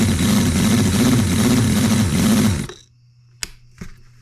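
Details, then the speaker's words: New Cison L4-175 flathead four-cylinder model engine, first run on its oak base, not yet broken in: steady quick even beat for a couple of seconds, then a clean shutoff; runs healthy, no oil leaks. "uh hole number seven is alive and it doesn't run terribly bad i know it will run better after it gets you know broke in but we want to break it in properly"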